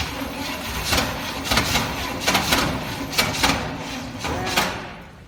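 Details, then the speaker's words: 1969 Chevy C/20 with 327 V8, not run for 40 years, after ignition work and the muffler cut off: uneven cranking bursts as a few cylinders catch. The engine nearly fires but does not yet run on its own. "here we go so close here we go it's so darn close it's close"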